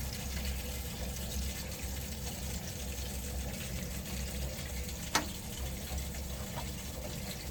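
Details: Worcester Bosch gas boiler, after a repair that didn't last 24 hours: steady low rattling rumble under water flowing through it, now constantly making the rattling noise.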